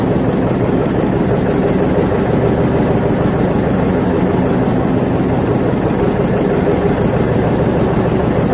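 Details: Vintage John Deere 720 diesel tractor after head gasket repair: loud, steady low chug at an even pace, no knocking or missing; running healthy.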